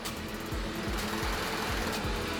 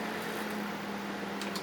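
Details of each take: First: Brastemp BMS27 microwave, previously worked on by another shop, with a blown fuse replaced: on starting, rapid relay clicking over a low hum, then it shuts off into protection. The cause is a faulty upper internal door switch. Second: Brastemp BMS27 microwave after the wrongly fitted switch was replaced with the correct type: a steady low hum and even tone with no relay chatter. It runs normally.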